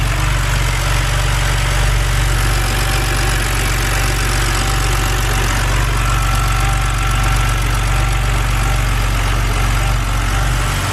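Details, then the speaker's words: BMW N52 engine after reseating ignition coils: uneven, lumpy idle with a loose irregular pulse; rough idle persists, coils and plugs ruled out, later traced to a faulty mass airflow sensor. "so now i guess it's just time to fire it up and see what happens nope still there"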